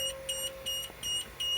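Sharp high-pitched buzzer pulsing about three times a second with the key on; that's the parking brake warning because the brake is set.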